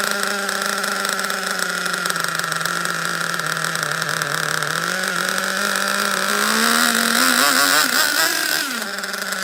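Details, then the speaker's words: Rare OFNA Twin Titan twin .26 nitro RC engine on first start: high buzzy idle wandering in pitch, blipped up and down; runs rich with heavy eye-burning smoke, cause not confirmed. "Whoa. I need a breather. That was too much nitro smoke."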